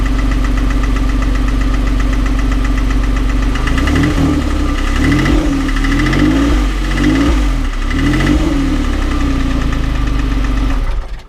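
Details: 2006 Porsche 911 (997.1) flat-six at idle: a steady knock of roughly four per second over the engine, clearest after a few seconds; some internal knock, cause unclear.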